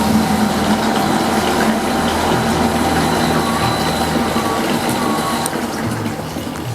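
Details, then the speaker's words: Water pump switched on in automatic mode with the DIY PCB low-water cutoff controller (well-level sensors) installed; even unbroken hum with water flowing, faint music behind: normal pump operation before the lower sensor shuts it off. "Ketika saya Nyalakan pompa ini dalam kondisi otomatis menyala ya kalau ini Saya nyalakan harusnya dia menyala"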